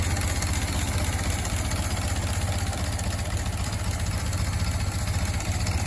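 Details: Barn-find Ford Model T farm truck, first start in years after simple repairs: low, steady chuffing idle about four beats a second, even with no knocks or misses; normal idle.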